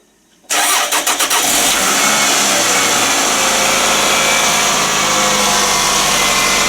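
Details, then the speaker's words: Toyota Estima after repairing a knocking noise (intake manifold/swirl flap suspected) and a decarbonising treatment: quick crank, clean catch, steady even idle with no tapping or knocking. Normal start and idle after the repair. "вот и теперь вот теперь она хоть работает как нормальная машина вас послушайте как нормальная тойота звучит"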